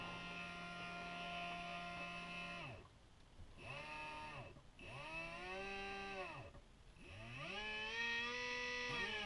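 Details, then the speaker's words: Reproofed Novak Ballistic sensored brushless motor for an Axial SCX10 Rubicon, being put into a small tub of water, whines smoothly with its pitch sweeping with throttle; it is running normally. "motors working at the moment so let's pop it in the water and see what happens"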